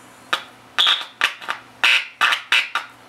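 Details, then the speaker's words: Sharp loud buzz bursts from the speaker as the first audio tube's grid is touched on a tube radio under troubleshooting; much amplified, showing the first audio stage works. "that's the grid of the first audio it's much Amplified but it tells me that first audio was working"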